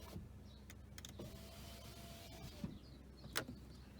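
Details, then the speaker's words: 2006 Audi A3 8P 2.0 TDI 140hp, rear power window checked while the driver's window is only half working: smooth, steady motor hum for about 1.5 seconds, then a soft stop with no grinding; this window works normally. "Ouais, derrière ça fonctionne aussi."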